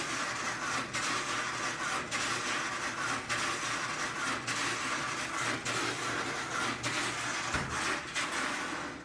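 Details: GE dryer model GTD42GASJ2WW running: steady rumble with rough scraping grind beating about once a second, caused by a bobby pin wedged under the drum, removed with tweezers.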